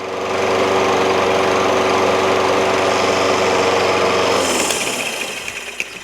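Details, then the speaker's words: Toro Recycler self-propelled mower with a Kohler XT675 6.75 engine: the bail handle is released and the metallic brake pad rubs the flywheel, grounding the magneto. The steady running note drops and winds down in about a second, a normal shutdown. "there we go once the brake pad rubs against the flywheel that's what grounds it out"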